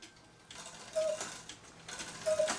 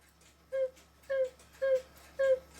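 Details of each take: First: Swiss-style German cuckoo clock with music box and bellows newly hooked up: slow uneven clicking with thin lopsided whistles, one bellows side not sounding after it moved; uneven cuckoo bellows needing adjustment. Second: Swiss-style German clock whistle box after cleaning sawdust-like debris from the reed and back board and re-gluing the top: four clear, evenly spaced mid-pitched toots. The whistle sounds properly again.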